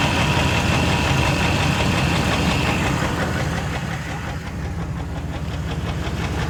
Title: Rod Knock